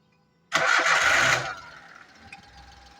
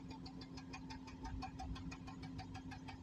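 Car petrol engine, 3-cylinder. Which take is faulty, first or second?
second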